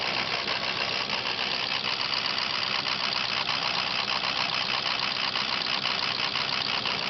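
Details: Diesel rough, erratic idle clattering unevenly with irregular pulses, caused by a bad ICP (injection control pressure) sensor.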